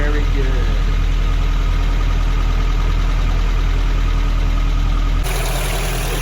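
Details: Vintage Toyota 4x4 truck started for the first time in a year after charging the battery and reconnecting the fuel pump: low, even idle with steady firing pulses, no knocks or misses; runs smoothly.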